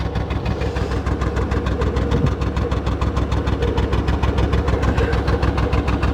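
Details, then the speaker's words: 1994 Chevy Blazer at idle after first start: loping, uneven chuffing around three per second like a locomotive with light rattle up front; missing on cylinders, later found leaking radiator. "it's running on like two cylinders at idle oh and now maybe we got three oh maybe four seems to be getting a little better"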